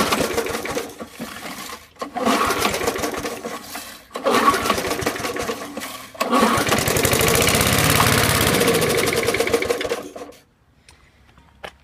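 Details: 1986 Snapper mower found on curb, after disassembly and reassembly: three short pull-start bursts, catches and runs rough about four seconds then dies; owner suspects worn carburetor diaphragm needing replacement.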